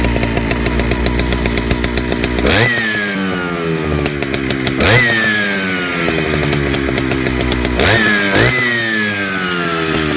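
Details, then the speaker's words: Large old Jonsereds chainsaw, newly acquired, started using the decompression valve: revs race then sag every few seconds, coming in and out, hit or miss; surging, uneven running, owner suspects seals or fuel line need replacing. "it's you can kind of hear coming in and out is hit or miss"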